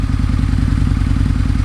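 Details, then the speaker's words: 2003 Harley-Davidson Anniversary V-Rod, 60-degree liquid-cooled V-twin, after valve lash adjustment (valves had been very loose): even loping idle, steady low thumps, no sharp ticking; valve train now much quieter and healthy. "sounds so much quieter now the valve train too they this was very much on the loose side"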